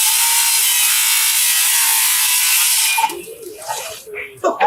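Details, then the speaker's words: Diablo 7-1/4 in 24-tooth framing blade on a cordless circular saw cutting flashing, shingles and lag bolts; steady even hiss for three seconds, no slowing or bogging, then stops cleanly. Blade not hot afterward. "can see straight through flashing shingles lag bolts oh my god i didn't realize i was in there"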